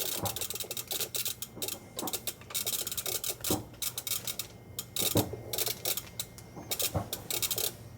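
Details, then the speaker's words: Xiegu GPA100 HF amplifier in auto band mode, radio being handled: sharp band relay clicks in uneven bursts, several a second; owner suspects the 705's keying interface, cause not confirmed. "Just handling the radio, it's clicking. Can you hear all the clicks?"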